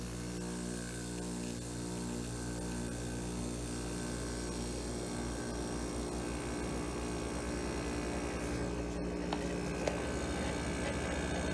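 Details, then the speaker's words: Window air conditioner, thermostat tripped and started on cool: even compressor hum with steady fan rush, no rattles or knocking; running smoothly and getting cold, normal running. "Getting cold. Nice."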